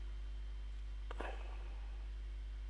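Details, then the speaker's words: Nikon B500 camera after a broken-LCD repair, in auto mode: quiet room, then a short, soft whir of the lens hunting focus on a keyboard and a crisp shutter click; autofocus and shutter working normally. "it's focusing on the keyboard. Alright. There we go. Fine. Took that picture fine."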